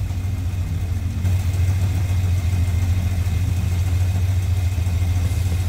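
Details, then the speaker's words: 1967 Dodge Dart after 2-barrel to 4-barrel carburetor swap, warm at 180°, manifold vacuum reading zero: steady low idle rumble with revs rising when carb cleaner sprayed near brake booster and a plug; intake vacuum leaks. "so I hit the where the brake booster is got a noticeable increase in RPM this plug [Music] here notable increase in RPM so I've got some serious vacuum leaks going on and that's part of my problem"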